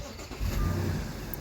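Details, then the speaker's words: Audi 3.2 FSI after upper timing check valve and tensioner repair: starts almost instantly into a smooth, even idle with no start-up rattle or clatter; normal cold start, working check valves and tensioners. "when your check valves are working and your tensioners are in good condition there should be no rattle before it starts it should sound exactly like"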